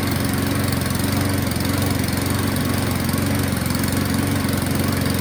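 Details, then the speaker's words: Self-drive cylinder mower with new spark plug, pull-started on choke: beat a little uneven and hunting, about two pulses a second; dies once choke comes off; owner suspects running jet, carburettor needs cleaning. "It died off choke, but it ran."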